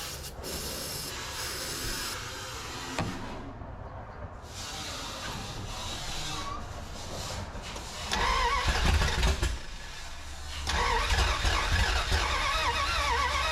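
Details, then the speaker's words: 1981 Dodge D150 cranks but won't start, no fuel: starter churns in rhythmic bursts, never catches. Spark present and coil confirmed working; owner blames fuel starvation from leaking fill neck preventing filling the tank. "yeah that coil works too so we just need to figure out that gas leak back there at the back when we're filling it up and then we should be okay to start getting gas to it"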